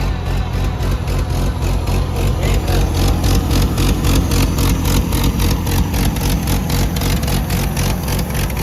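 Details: Gas Oliver Super 77 tractor with wide front and factory 3-point hitch, first start after sitting, two-stroke gas in it, no steering: loud fairly even low chug of three to four beats a second, running without stumbling.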